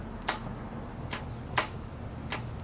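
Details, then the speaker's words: Abandoned 1990 Yamaha XV1100 Virago: sharp single clicks about every half second on pressing start, solenoid engaging but no cranking; owner suspects the engine may be seized, cause not confirmed; oil and fuel lights come on. "crank and you can definitely hear the solenoid doing its job but I get nothing so that's the problem we're trying to fix"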